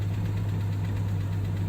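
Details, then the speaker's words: 1992 Jeep Cherokee 4.0L, 5-speed manual, 185,000 miles, first start after two months sitting, Lucas oil additive used: deep even idle around a thousand rpm with no misses, ticks or knocks; clean start. "here's the test you think it'll start guys there we go hear that start with a clean start"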